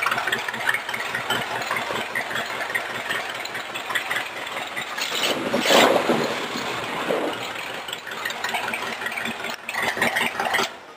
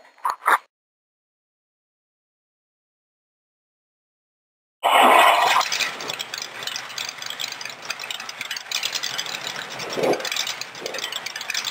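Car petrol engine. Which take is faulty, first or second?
second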